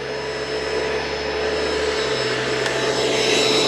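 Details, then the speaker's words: Curb-found Bissell ProHeat Essential carpet cleaner with a replacement Kenmore Intuition cord, switched on from a power strip: steady even motor hum with a clean high whine, no grinding or bearing rumble; motor running fine. "let's see what happens oh nothing's going to happen unless I turn on the power from my power strip that helps all right seems to be running fine"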